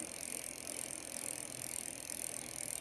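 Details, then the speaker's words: Bicycle rear derailleur after turning the barrel adjuster to move it out into line with the cassette cogs: drivetrain spins with a soft even whir, the earlier clicking gone. "So in this case I just think I need to tighten it up a little bit which is actually going this way. And you might actually see this move out a little bit. And voila, no more noise."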